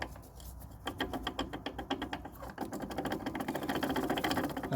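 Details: 2015 Ford Mondeo Mk5 rear shock absorber with top mount, removed and shaken by hand: quick, uneven clattering knocks, two or three a second. The loose, broken-up top mount is the rear rattle the MOT centre couldn't find.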